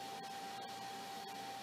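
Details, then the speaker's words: Commodore 9090 hard drive 120 V power supply, first power-up: smooth even rush of air with faint steady hum, no rattle or scrape; cooling fan working normally. "well that sounds pretty much like a 96 or 99 it's supposed to sound the fan if the fan sucks area blows it through"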